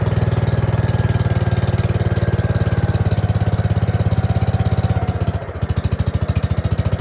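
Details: Gravely 5665 freshly fitted with a China carburetor (after a 15hp carb was tried), air cleaner on: a single-cylinder thump runs slightly uneven and stumbles briefly near the end, and it won't run without the choke. A lean mixture is suspected, not confirmed.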